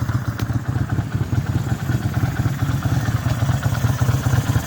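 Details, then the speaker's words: Kawasaki VN800 V-twin after rotor removal and rubber dampers replaced: steady, even idle with a regular low thump and no knocking; engine knock fixed. "no more knocking noise I say that's the win"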